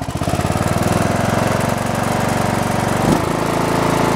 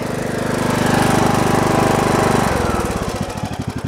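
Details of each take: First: Briggs & Stratton Intek 17.5 HP on a lawn tractor, after carburetor cleaning (previously sputtered): single-cylinder engine thumping at a steady, even beat with no stumbling or hunting; normal idle, runs better. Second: Briggs & Stratton Intek 17.5 HP lawn tractor engine that sputtered, around carburetor cleaning: puttering idle about three to four beats a second, then rhythm suddenly drops and stumbles unevenly; irregular idle, cause unclear.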